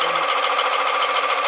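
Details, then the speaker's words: Sorby mini texturing tool on a wood bowl, tool raised and handle dropped, cutting the wrong way instead of at 45 degrees: fast, even sewing-machine-like buzzing rattle at steady pitch; the tool chatters and chews a double, triple pattern. "This time I'm going to raise the tool, drop the handle. Oh, can you hear that rattling going on?"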